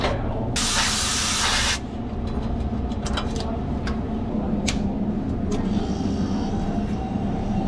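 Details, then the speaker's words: Restaurant refrigeration unit after a sudden liquid line restriction at the expansion valve was repaired, the system held 747 microns vacuum, and it was recharged. A steady low compressor hum with brief refrigerant hiss and no knocking; normal running. "the coil is actually getting warmer this time and you can hear it it sounds normal it doesn't sound it's had many issues"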